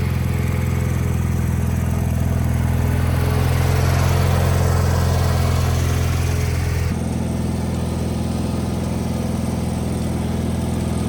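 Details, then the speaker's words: Wheel Horse 520H hydrostatic garden tractor, revived and running on its own gas tank during a test drive; smooth, steady low drone with no hunting, misses or knocks, normal running. "all right test drive successful I mean it runs great the hydrostatic rear end's working perfect"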